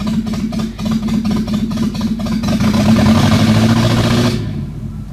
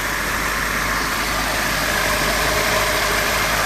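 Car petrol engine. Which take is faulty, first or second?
first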